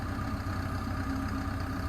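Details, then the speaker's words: Develon high-track excavator at idle, first drive belt removed: a steady diesel idle with a low drone and a faint constant tone, louder near the radiator side, at high idle and from a distance; the source of the abnormal noise is still unidentified. "still sounds funny the closer you get to it the less you can hear it I could hear it more when I was over in the van"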